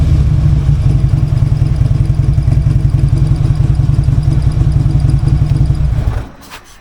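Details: Harley-Davidson V-twin just after a new part was fitted, not yet tuned: deep, lumpy rumble holds steady under throttle without popping or missing, then shuts off cleanly; normal revving, owner hears no clear difference yet.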